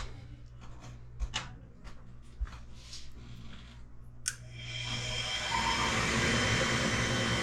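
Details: Comfort Air furnace KG7SA-054C23A1 after DIY replacement of a bad control board: a few quiet clicks, then the blower spins up into a smooth steady rush with no rattles or scraping; normal startup.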